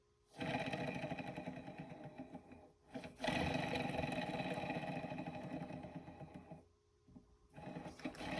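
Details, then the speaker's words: Blown 2017 Polaris RMK Pro snowmobile engine torn down on the bench, bare crankshaft spun by hand: rough, gritty rumble from a worn crank main bearing; the mag-side bearing is silent; connecting rod bearings seem fine. "uh if you listen really carefully uh you'll hear this bearing making noises bearings shouldn't make"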